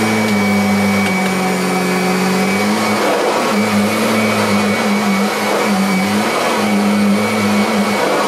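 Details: Kirby Sentria II, practically a new machine, running 10 salt-pickup passes: smooth, steady motor hum holding one pitch with slight load dips per pass; healthy-sounding vacuum motor.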